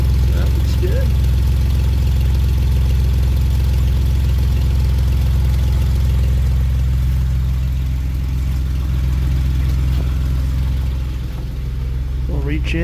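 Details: Healthy idle on a 2011 Jeep Wrangler JK with almost 130,000 miles, run with no low-oil-pressure warning: a smooth, even, steady low drone with no ticking, knocking or stumbling.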